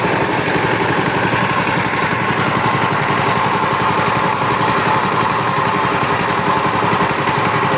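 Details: Power tiller single-cylinder diesel that made a tapping sound and would not take load, after the injector nozzle was replaced, runs a steady, even chug at fast idle with no misses or knocks, sounding healthy.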